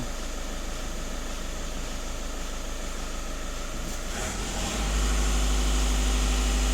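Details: VW Caddy 1.6 TDI diesel, during the automatic turbo test with both pedals pressed: steady idle clatter, then revs step up near four seconds and hold evenly with no whistle or flutter. Boost is normal, and only the EGR system is still out of spec.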